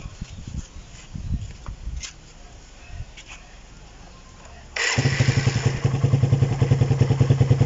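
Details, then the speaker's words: Raider 150 single-cylinder idle right after resetting the cam chain tensioner (in neutral): engine catches and settles into a steady, even idle, the earlier top-end ticking now gone. "Yun, medyo nawala nga yung lagitik mga idol. Yan, okay na. Nawala na yung lagitik na narinig natin dyan."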